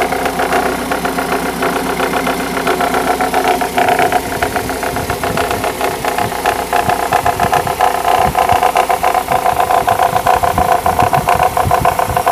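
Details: Mercedes W210 E-Class E200 at idle: loud engine with fast, uneven tapping around three to four per second over the running; engine knocking noise, cause suspected but not confirmed.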